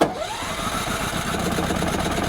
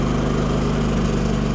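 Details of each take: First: Firman WH3200iE dual-fuel generator set up for propane, choke pulled out, propane valve not yet turned on: starter churns evenly about seven seconds, never catches, spins down; no start because the fuel supply is off. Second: Firman WH3200iE dual-fuel generator on propane, just started, choke now closed: smooth, even hum at constant speed with no surging or misfire; quiet, normal running.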